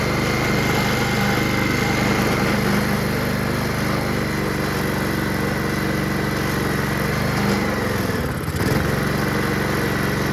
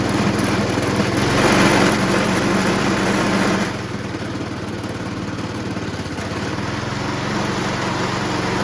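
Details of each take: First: Honda HRR216 Harmony II QuadraCut push mower, no blade fitted, after starting spray: smooth, steady idle hum at an even pace with no stumbling; engine runs cleanly, normal idle. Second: Honda HRR216 Harmony II QuadraCut push mower with blades fitted, reported to vibrate crazily when the blades are disengaged: fast, fairly even beat with a rougher, heavier patch early; excessive vibration.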